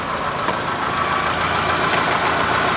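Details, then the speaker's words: 2002 Mitsubishi Lancer after AC compressor replacement and drive belt retensioned: smooth, even idle with no belt chirp or squeal. "now i'm going to turn the car on and make sure it doesn't squeak"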